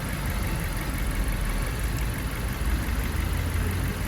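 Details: Fiat Freemont at operating temperature after replacing a leaking thermostat housing: smooth, even low idle rumble with no knocks, misses or hiss. Cylinder head measured 108 °C near the housing. Normal idle.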